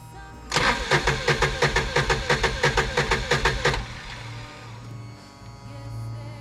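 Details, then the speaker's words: Kawasaki Mule with cranking issues, after reinstalling and reconnecting: starter cranks about three even strokes a second for three seconds without firing; no fuel in the tank, so it won't start. "Oh, stop. We ain't got no fuel in it. We ain't got no gas in it."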